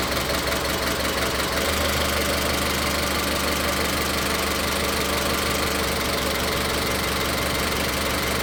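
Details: Idle with an uneven, stumbling beat and irregular skips from a misfire; unplugging the individual ignition coil connectors one at a time traces it to cylinder three, and the engine stops faltering when that connector is pulled.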